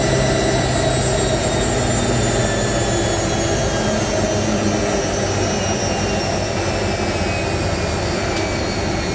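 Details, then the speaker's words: Hotpoint 9530 Electronic 1000 Plus washer, twin bedding load, after repair of burnt mains-lead neutral wire and new timer, second rinse spin: steady even spin, smooth motor whine, no thumping or wobble; well balanced. "I'm impressed with how smooth that spin actually is."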